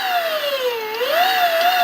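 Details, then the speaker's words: Electric WR250E conversion, motor run forward: clean steady whine rising and falling gently with throttle, no pulsing or knocking; smooth, unlike reverse where full throttle makes it pulse. "it's nice and smooth now"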